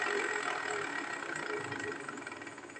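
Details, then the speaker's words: Automatic scooter CVT after reassembly with clutch lining already replaced: a coarse, gritty rumble from a worn secondary pulley bearing that needs replacing. "Nah, suaranya udah kasar ya. Bearing yang biasanya ini udah kena, harus diganti."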